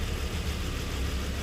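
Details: Nissan Murano V6 with severe misfire and jerking at idle, cylinders 3 and 4 not working: deep lumpy idle with uneven low thump and engine shaking; dead-cylinder misfire diagnosed via scan tool power balance.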